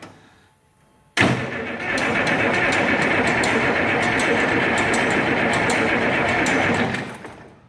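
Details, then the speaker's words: Oliver 1550 diesel tractor cranked with fuel stop out so it won't fire; cranking speed surges now and then, suspected sticking valve causing low compression and a miss, likely cylinder six. "you hear that where it kind of speeds up every now and then my guess is is there's a valve sticking causing uh low compression which would cause it to miss especially at higher RPMs"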